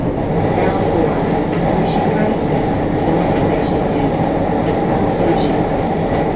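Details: JR Kyushu 303 series K01 set, car 4 MoHa 303-1, recorded above the Hakata-end bogie with a built-in mic between Shimoyamato and Hatae: heavy rough drone and rumble rising with motor speed; traction motor groaning with violent abnormal vibration.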